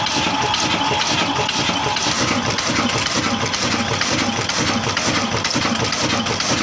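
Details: A 22HP 275RPM Kala single-cylinder diesel engine (tagged Ruston Hornsby) in Punjab, Pakistan, running after starting on the third attempt in cold weather; a slow, regular chuffing at about two even firing thumps a second with no misses. Normal running.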